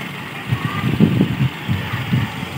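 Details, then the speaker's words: Toyota Kijang Super carburetted engine after carburetor reinstall and ignition timing adjustment: a low, slow idle with soft even thumps and a steady rumble, not shaking or dying; normal idle. "level the engine is level it doesn't shake the engine give this is normal"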